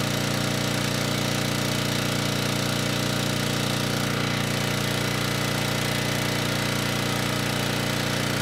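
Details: Ridgid 5700 W generator (RD905712), Yamaha MZ300 engine, dump find with 1500 hours, after carb check; started first pull on a cold day, warming up before load: loud steady fast-firing drone, even beat, constant pitch, no misses or knocks; normal running.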